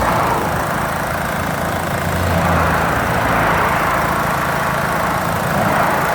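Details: Vauxhall Omega idling with an uneven, stumbling, lumpy beat instead of a smooth hum; engine misfire.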